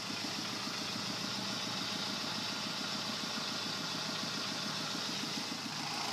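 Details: 2010 Kia Forte at idle: light, fairly quick tapping knock about two per second, softer and less violent than typical rod knock; spun #3 cylinder connecting rod bearing.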